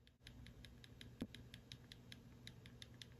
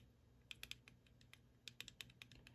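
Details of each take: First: RC car pinion/spur gear mesh set correctly: light crisp clicking as the spur is rocked, with the tiniest bit of movement, so the teeth aren't wedged yet are not loose enough to whack and wear. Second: RC car gear mesh set too loose: flicking the spur gear gives quick bursts of sharp, light plastic clicks as pinion teeth whack the spur, which moves rotationally too much and will wear the teeth out.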